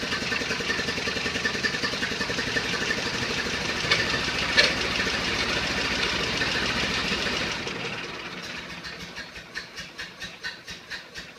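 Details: 1931 Ford Model A, stored in a barn over 10 years unrun, started on a battery charger with a replacement 6-volt coil and adjusted timing: steady, even four-cylinder beat slowing to an evenly spaced chuff at idle; sounds healthy.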